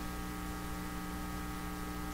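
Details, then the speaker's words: 1940s Canadian Red Cross tube radio, no schematic, after removing an oddly placed resistor: strong steady low hum with buzzy overtones and no program sound; owner suspects an open volume control. "sounds like crap oh my gosh what is going on here oh man no schematic it sounds like an open vum volume control is what it sounds like"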